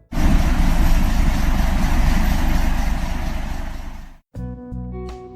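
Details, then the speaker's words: Diesel engine with a rhythm like refurbished Ikarus IK 111 bus fleet #69's: deep, even idle knocking in a rhythmically correct order at about three and a half beats a second, no misses; normal diesel idle, music after. "The #69 worked similarly at idle."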